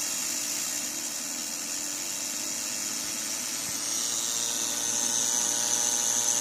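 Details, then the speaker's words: Second-hand Studio Projects VTB1 V series preamp after about 15–30 minutes of use: steady high hiss with a thin whistle that grows louder, buzz now continuous; cause unknown. "I think it becomes quite constant after a while. So it does it every now and then, and then it begins doing it continuously."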